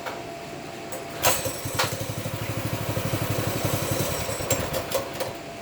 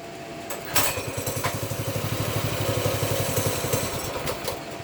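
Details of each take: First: Baja Warrior 200cc single-cylinder after loosening the chain, choked, throttle cable not yet right: even, fairly quick thumping with a few rattles; runs a lot better than before, normal running. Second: Baja Warrior 200cc single-cylinder, choke off after brief warm-up, throttle run by hand: uneven sputtering, firing picks up then fades and stumbles; owner suspects fuel level just below the tank pickup tube, fuel starvation.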